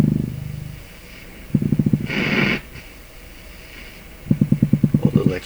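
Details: Canadian Pye Model 39HC radio on dim-bulb tester, warming up: bursts of fast, even low putt-putt pulses, about a dozen a second, from the speaker at low volume; motorboating, possibly several oscillations, cause not yet found.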